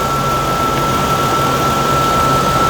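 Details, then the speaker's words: 2013 Toyota Tacoma at idle: steady high squeal over the idle, after the tensioner and bottom idler showed no response. Finding: idler pulley bearing squeal. "Now you notice how that pitch of that squeal changes. Take my hand off of it. There it is again. And now it's gone, just by putting some pressure on that bolt."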